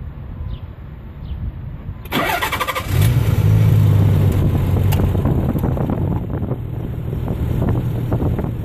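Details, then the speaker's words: 1990 Nissan 300ZX twin turbo with custom 2.5" turbo-back exhaust, Magnaflow mufflers, JWT tune: starter whirs, engine catches into deep even exhaust burble with light throttle blip; runs nice and smooth, healthy. "all right there she is running everything's nice and smooth get a little gas"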